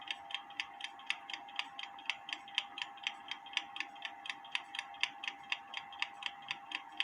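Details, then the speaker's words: Kienzle carriage clock (1898–1923) after cleaning and hairspring beat setting, heard through a beat amplifier: crisp, evenly spaced ticks about two per second over faint hum, tick and tock matching; clock in beat. "but anyway that sounds good it looks good it if it continues to run overnight I'm gonna put it back in the case"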